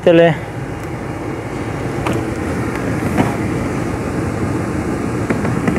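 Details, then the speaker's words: Renault Megane 2 cabin heater blower after replacing the mouse-infested fan and the resistor: even rushing air with soft steady hum, all speeds working, no more noise; blower fully functional. "treptele nu mai face zgomot Mașina este complet funcțională partea de aerotermă"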